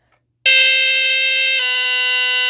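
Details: Vintage Sunbeam Centurion 45-31 smoke detector, about 1978, a rebranded Cerberus Pyrotronics GuardION FB-1 with test button, Duracell battery; loud, somewhat raspy horn about two seconds, dropping from a higher to a lower pitch. Normal test.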